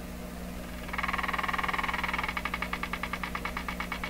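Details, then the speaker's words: DeForest 10DA517 AM tube radio, paper capacitors all replaced, on a dim bulb tester with volume down and no antenna: a steady hum, then rapid ticking about three beats a second that slows and fades; motorboating oscillation of unknown cause. "ah I hear it ticking"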